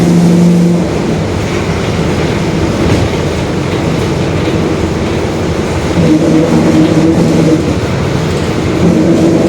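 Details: 2021 Marcopolo Torino S lengthened city bus on a Mercedes-Benz OF-1721 Bluetec 5 diesel chassis, recorded while running. A steady low drone over the diesel and road noise holds with road speed: a growling rear differential.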